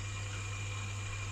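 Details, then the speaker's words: Boiler staying on for heating, 3-port valve held in heating-only mode: a steady low hum with a faint constant whine, no knocks; central heating pump still running on overrun. "okay so as you can hear the pump is still running the pump over run"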